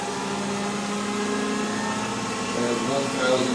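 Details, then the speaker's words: BMW E31 840Ci EV conversion, electric drive motor run at about 600 rpm, near the intended idle speed. Smooth, steady low hum with a faint tone climbing slightly, no knocks; smooth as silk by hand. "But just putting my hand on the motor, there is absolutely not. I wouldn't know that that was actually running if I couldn't hear it and see it. It's absolutely smooth as silk."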